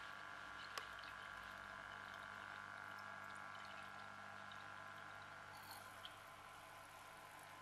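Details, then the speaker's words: Aqua Internal 100 fish tank water pump running on its low setting in water, splashing; steady even hum with faint trickle, no rattles or surging, normal running before teardown. "pump is working fine in fact - well I'm splashing water that's on the low setting"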